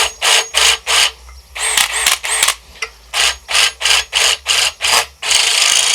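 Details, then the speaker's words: New AEG BSB18BL-0 cordless drill: short rattly clunks about three per second when spinning free, disappearing under light drilling load; owner suspects gearbox play at no load and calls it normal for now. "so i'd say there's probably like some kind of adjustment in the gearbox like it's like a no-load kind of thing when there's no load on it makes it but put some light on it it doesn't make the noise"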